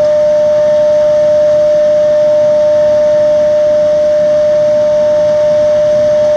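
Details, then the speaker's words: Xeikon 5000/6000 drum refinishing machine, recently repaired with new belts and gears: loud, steady, pure bell-like ring at one pitch over a hissy grind as the aluminum drum sings during sanding, normal. "And this thing makes one ridiculous noise. I'll try to get it set up so that you guys can hear it. It rings the aluminum drum like a bell, pretty much."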